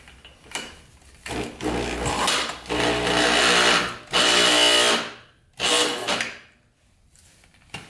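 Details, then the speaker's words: 1987 Yamaha Warrior 350, previously seized engine, spark plug fitted, spun over with a drill; whirs then bogs and stops each time, engine binding internally, cause unknown. "yes you can see someone's getting caught up it's spinning over but then getting caught up so we're gonna have to dig deeper into the motor and see what the heck that is"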